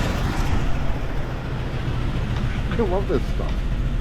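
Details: 1999 Jeep Cherokee XJ 4.0, sold as bad engine, first start: idle thumps with uneven, stumbling exhaust beat; sounds like a misfire.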